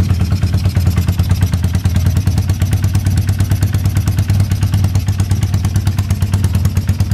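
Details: Early-1970s Yamaha TX750 twin motorcycle with Harley Sportster pipes, just cold-started in -40C winter: deep, throaty twin idling with even low thumps about three a second, no knocks or misses; normal healthy cold idle.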